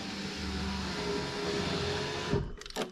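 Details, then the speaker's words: Power window of a flip car after reconnecting the door wiring harness: steady electric whir for two seconds ending in a soft thud at end of travel; driver window motor works normally. "The passenger side front over there. In fact, I can hear it making noise. Oh, there we go. There's the driver window."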